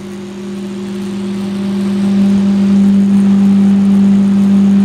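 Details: 4-inch Massey fan with 4 blades and 1 speed: a steady hum climbs as the fan spins up, with a faint buzz on top; the fan is also over-revving, cause unclear.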